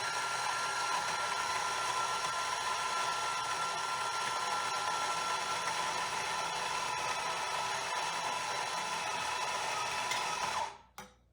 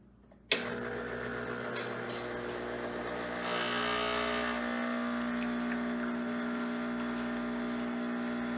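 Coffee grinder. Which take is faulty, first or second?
first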